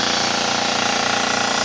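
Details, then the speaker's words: Gast 1LAA piston compressor bench-tested after overhaul: steady fast chug with strong air hiss from an open bleed valve while its 3-gallon receiver builds toward 50 psi; normal vibration and noise. "it's a reciproc reciprocating piston compressor so there is a little bit of vibration and noise to it"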